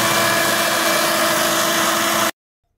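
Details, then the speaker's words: Chrysler Town & Country, Voyager or Caravan rolling at road speed: a steady droning hum of fixed pitch that stops when the chassis-ear channel is disconnected; the worn front hub bearing is on the right side, not the driver's side the customer suspected. "Y pues ahí está, amigos, el ruido."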